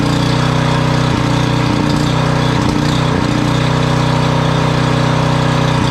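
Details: Generac 5000 W generator, Briggs & Stratton 10 hp, sat for years, wire refitted: smooth, constant note holding steady speed with no surging, ticking or misfire; runs normally.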